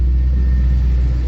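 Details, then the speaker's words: Holden VE SSV Commodore ute V8, stored over 3 years, fuel drained, cranked for oil pressure and fuel pump relay refitted, first start; deep steady even idle without misses, ticks or knocks, 300 kPa oil pressure: normal idle. "We'll just put the relay back in and we'll see if it'll run and stay running. And look at that. She lives."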